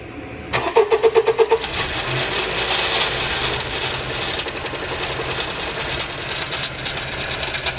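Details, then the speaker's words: 2017 Honda CR-V 1.5L turbo running rough with no power; dealer diagnosed a head gasket and turbo. A loose, uneven metallic rattle over idle from the turbo area; pieces found broken off. Turbocharger rattle from a damaged turbocharger wheel. "I hear something rattling in this area so I want to take this off maybe stick a camera up in there and see if we can actually see what's going on um so yeah we'll do that next cuz something definitely mechanically is wrong on this turbo"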